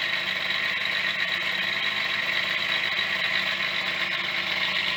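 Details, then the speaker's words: Yamaha DT50MX two-stroke, restarted after sitting about a year on choke: thin tinny clatter over buzzy, uneven idle; owner suspects cheap-fitted main bearings wobbling, not confirmed. "oh still sounds like a bag of bolts bearings"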